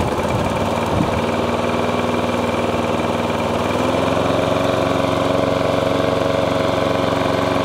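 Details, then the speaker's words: Lawn mower after cleaning the ignition coil, which was giving weak spark, catches and holds a steady, even idle rising slightly, no misfire or hunting; running normally, drive not engaged. "I've now got it running. I believe it to be the coil, which I've now just literally cleaned the coil up."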